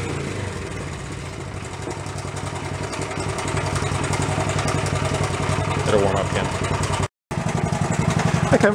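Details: Nearly 50-year-old Honda Trail 70 (CT70) single after exhaust weld, flywheel, points, valve, camshaft, timing-chain and timing work; small single revs up and settles in quick even putter, no knocks; some smoke, likely oil burning off in muffler. Normal revving.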